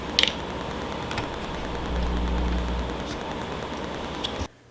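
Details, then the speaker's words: Rode VideoMic GO with an unshielded plastic body near RF sources such as a Wi-Fi router or appliances. Sharp, sporadic clicks about once a second over quiet hiss from radio interference. Fix: shield the mic with copper tape. "if you get close to something that emits a lot of rf interference like a wi-fi router or electrical appliances things like that you'll definitely pick up a lot of clicking noise"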